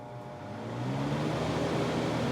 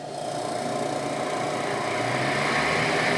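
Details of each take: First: Miller 330 A/BP TIG welder cooling fan after bearing service: fan spins up over about a second into a smooth, steady whir with no rattles; much quieter than before; normal fan running. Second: Miller 330 A/BP TIG welder with cooling fan running and coolant flowing; steady whir with fast even chatter, rattle from dry ungreased fan motor bearings.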